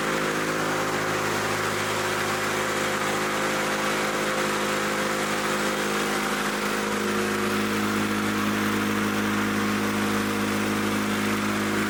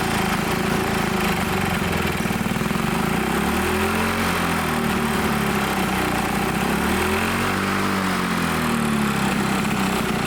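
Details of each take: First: Old Lawn-Boy Loafer rider, front mower two-stroke with a new needle valve fitted: steady drone at an even but lowish speed, pitch barely changing; runs strong but slow, cause not confirmed. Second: Old Lawn-Boy Loafer dual-engine rider, front mower two-stroke, dripping fuel after fueling: runs on its own with a buzzy note, revs drifting up and down every few seconds; carburettor untuned, main jet possibly plugged; normal running.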